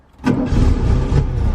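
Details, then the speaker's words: 1969 VW Beetle with 31,000 miles, in neutral, collected from auction: a short crank, then it fires straight away and settles into a steady, healthy idle. The fuel gauge shows reserve. "we go fired into action it says that I've got reserve tank so we are going to fill it up and as you can see making that beautiful noise very very nice"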